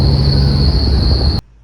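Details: LED light bar while driving: a clear, steady high whistle over low road rumble, then it stops abruptly; wind is whistling across the light bar fins. The fix is a 3/4"x3/4"x1/16" aluminum angle screwed to a fin.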